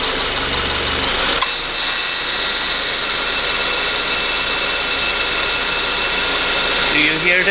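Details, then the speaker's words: 2014 Subaru Forester, FB25 engine, 68,000 miles, with A/C not working, owner reporting poor idle and sluggishness. At idle, a loud hissy, shifting rattle-roar comes from under the hood; the A/C compressor is failing and will be replaced with a new unit. "i went to it started up and immediately heard some crazy noise coming from underneath the hood this noise it seems to be"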